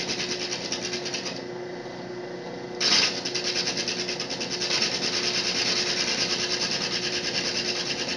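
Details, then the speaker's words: Diamond hole saw in a drill press cutting a thin aquarium glass panel for a bulkhead fitting; steady, high, gritty hiss over the motor hum shows the bit biting evenly, fed slowly without advancing; normal cutting. "As long as I hear a cutting noise, I'm not going to advance the bit."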